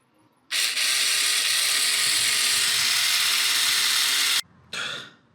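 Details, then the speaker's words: Classic Porsche door mirror motor, glass removed (corrosion from water ingress), wires connected directly to a bench power supply. A steady high whirring buzz for about four seconds, then a short second burst. Motor runs freely: normal mirror motor operation. "Here's the bit we want to focus on. So, if I connect these wires to my bench power supply, then you should be able to hear."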